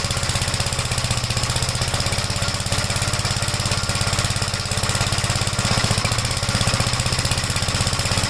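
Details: 1956 Gravely Model L single-cylinder, after choke start with throttle lowered: choppy idle with uneven beats and a stumble. Oil-fouled plug and smoke at start; top-end/valve trouble suspected; rough running with misfire.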